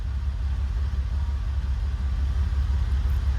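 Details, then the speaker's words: Ferrari project car, first start after new plugs and penetrating oil, restarted after touchy ignition switch; smooth low burble holding steady with no stumbles or hunting: normal idle. "Idol's really good"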